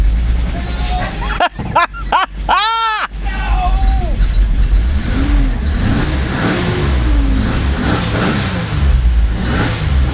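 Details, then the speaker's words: 1986 Nissan 300ZX, hurricane-flooded, first start with a replacement for the stolen computer, in neutral: stumbling start that catches, then a rough run with blips of revving; water blew out of the whole exhaust, yet it runs well. "oh oh wow okay so she did have water in her somewhere the whole exhaust yeah we'll uh we'll open that up listen how good it runs"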